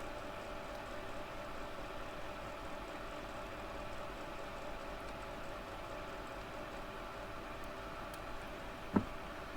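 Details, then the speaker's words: Worn fan bearing in a cheap knockoff Hakko soldering station used about a year: quiet steady whir with faint tones and a rough hiss. "And um you can hear the bearings have already gone the fan. So, yeah, I think it's probably a fake HO, not a real HO."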